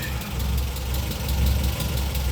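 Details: Audi 80 B2 engine idling while warming after spark plug check: even low beat, no knocks or misses. All plugs look good and identical; tuning not perfect; owner says it runs very smoothly once warm. Normal idle.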